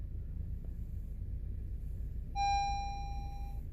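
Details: Honda CR-V, cold day around 39°F: a single steady mid-pitched warning chime over low cabin hum. Many dash lights are on, triggered by the low brake fluid sensor because the brakes were worn to bare metal with caliper pistons fully extended.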